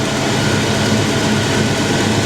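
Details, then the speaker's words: 1989 Ford Mustang Foxbody V8 5-speed with brand-new engine, basic street tune on 87 octane, heater on, warming up while topping coolant: steady, even low rumble, no rubbing, knocking or squeal; normal idle. "that's the way it's supposed to be no rubbing no funny noises running like a top"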